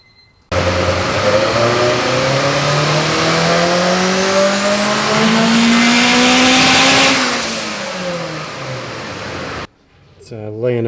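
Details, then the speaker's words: Turbo Honda on the dyno with a PTE 6266, CTR cams, 1000cc injectors and 9:1 pistons: revs climb hard, then break up raggedly near the top; a high-rpm miss is suspected, and the plan is to gap the plugs down. "pretty hard up top sounds like it's got a little bit of a Miss to it I'm gonna go ahead and put some plugs in it maybe gap them down"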